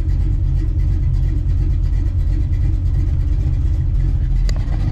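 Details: Small-block Ford 306, GT40P heads, Anderson N41 cam, Holley double pumper: deep loping rumble holding steady idle without stumbling, mixture screws put back and AFR back around 12.3; normal idle.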